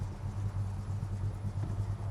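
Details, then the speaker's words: 1969 Dodge Charger R/T, 440 V8 four-barrel, 4-speed manual, freshly restored, 27 miles since restoration, cold start: catches at once, settles into a deep, even V8 burble at a slightly high cold idle, no knocks or misses. "purs right to life little high idle which is great"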